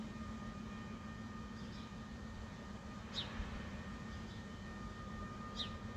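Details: Persistent nuisance low-frequency hum with a steady higher buzz, attributed to a nearby industrial plant in Ilkley and recorded within a neighbouring property boundary. It was heard over a couple of months, mostly between 2 and 5am, loud enough to wake; source suspected, not confirmed.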